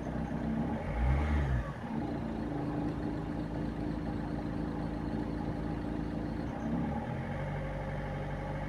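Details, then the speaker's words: Peugeot 206 1.4 HDI diesel, nearly 350,000 km, idling with a light rattly chatter that clears when revved slightly; owner suspects the accessory belt isn't tensioned enough by the automatic tensioner, though the damper pulley was later found at fault. "que c'est la courroie qui n'est pas assez tendue et normalement ça devait être là automatique"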